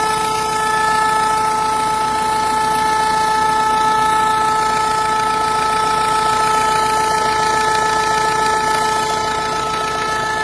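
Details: Renault 1.5 dCi diesel at idle: steady idle with a constant high whistle-like tone riding on top that does not change; abnormal engine noise at idle, cause unclear.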